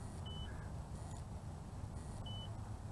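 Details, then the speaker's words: The BWINE F7 GB2 GPS drone (1806 brushless motors) hits its low-voltage warning and flies home. The remote gives single short high beeps about two seconds apart over a steady motor and wind hum. "the remote control is beeping single beeps and i can see it and i can hear it coming back"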